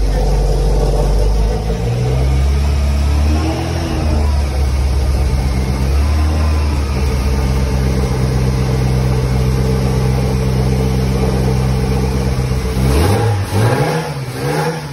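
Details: Tofaş with freshly rebuilt engine, in the workshop: deep smooth engine note held steady, then blipped up and back down cleanly with no knock or rattle; revs freely and healthy.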